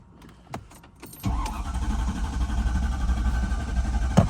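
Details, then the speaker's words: 2004 Mercedes S55 AMG W220 sedan: starter churns steadily at about four pulses a second but the engine never catches, since fuel isn't reaching the engine; water in the engine fuse and relay box from clogged drains after a snowy winter. "It's drawing a lot of current trying to start. So you put the battery on, make sure it's on there. All right, you're gonna hear that it's not starting."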